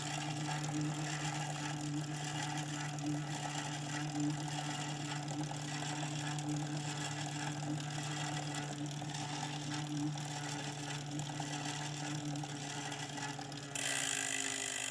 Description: Scraping sound from 2017 Kickr